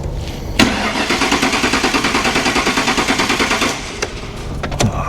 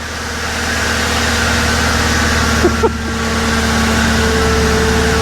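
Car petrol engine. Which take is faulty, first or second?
first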